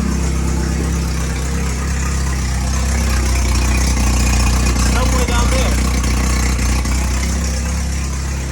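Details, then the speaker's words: Porsche 924 Turbo at idle in neutral, normally quiet apart from turbo whistle: loud, raspy, chuffing tractor-like blat from under the car; big hole found, exhaust leak, manifold to be inspected. "all right so i think you can agree this is a horrible noise it sounds like a tractor which is terrible it's not the way it should be"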